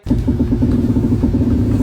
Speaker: 这是平面轴承异响。